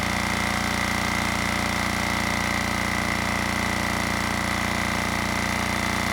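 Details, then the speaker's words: Generac XD5000e generator, Yanmar L100 diesel, during test run: loud even diesel clatter at steady rate with constant high whine on top, no misses or surging; running normally. "You know, if I remember right, the last diesel I tested, you know, despite the microphone pointing at me, it was still overwhelmed with the amount of sound."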